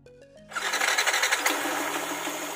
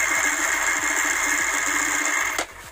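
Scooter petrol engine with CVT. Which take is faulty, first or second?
second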